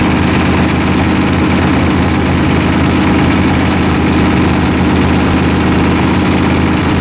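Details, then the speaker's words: V8 with forged pistons, idling during run-in near 155°F: loud lumpy idle with a dull uneven knock deep in the rumble; a faulty crank journal and loose rod bearings 3 and 4 found with the pan off. "but this journal right here is the journal that's causing all the problems I'm pretty sure"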